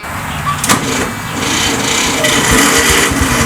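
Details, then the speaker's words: Tractor hard to start since purchase: slow, dragging crank with uneven pulses about three or four a second, a long whoa-whoa sound struggling to spin the engine; snapped starter housing and failed starter and solenoid. "so I had some starting issues with this tractor since the time I bought it and when I started it you just kind of sounded like a really long whoa whoa whoa whoa noise"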